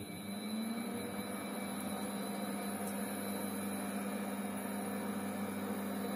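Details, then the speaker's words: Hmelnitsa 37-litre home automatic brewery, induction hob test-run without water at about 2.3 kW: steady even cooling fan whoosh with low constant hum, no rattle or rubbing; normal cooling fan noise. "Наверное, надо лучше выключить. Шумит. Слышите, как шумит пропеллер?"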